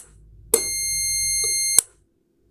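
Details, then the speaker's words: Electromechanical relay contact test with multimeter continuity beeper and the coil powered from an adapter; clean high beep holds about 1.25 seconds then cuts off sharply as contacts open: relay contacts switching normally. "Open, close, normally close it, open, close, open. Now I'm sure that this relay is 100%"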